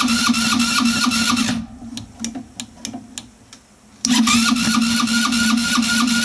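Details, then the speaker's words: Velocity 150cc scooter after head work and valve timing reassembly: the starter churns at about four beats a second with no firing, pauses, then cranks again without catching. A no-start; the owner plans to try carburetor cleaner. "I can hear it engaging but not trying. It's not trying to start yet."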